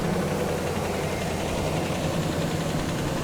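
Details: Truck just started on a jump pack after a dead battery: a steady low rumble at an even idle with no misses, knocks or surging; the V8 runs smoothly.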